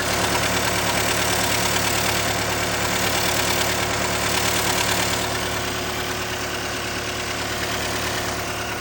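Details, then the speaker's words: Cat 299D2 skid steer diesel, heard from the engine area: sharp, regular ticking about three a second from a cracked exhaust manifold. "throttle, he heard a loud ticking coming from the engine area. He couldn't tell what it was."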